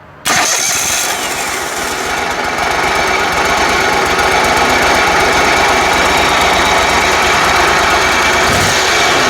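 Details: 27 hp Kohler riding mower engine after no-spark fix (ignition coils and magnet cleaned with sandpaper): catches immediately and settles into a steady, even putter with no misses or knocks; runs healthy.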